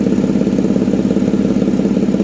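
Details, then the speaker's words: 1992 Mercedes 600SEL V12, about 150,000 miles, first start of a project car: smooth idle with a fast, sharp puffing tick on every firing pulse from underneath; exhaust leak under the car. "Oh yeah, there is exhaust leak, of course. We cannot stop at what I just showed you. There is of course an exhaust leak."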